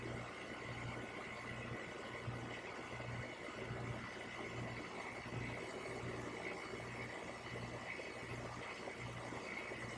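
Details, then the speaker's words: AC condenser running normally after a weak dual run capacitor (rated 45x7.5 MFD, reading 0x7.3) was found. Herm draw .625, fan draw .97. Steady low hum, even fan rush, no clicking. "And now to show you that based on the first video, even when you take off the hard start kit, it will work. Unlike before where only the fan came on. As you can see, you hear the compressor, so we are good to go."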